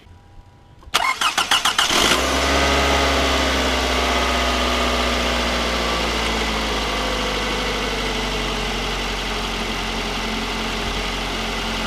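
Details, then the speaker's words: 2004 Toyota Camry after a 2AZ-FE engine swap (old engine overheated, suspected gasket failure, water in oil): quick crank, catches within a second, smooth even idle with no knocks; sounds brand new, coolant system bleeding air. "Sounds good. Sound like I'm brand new."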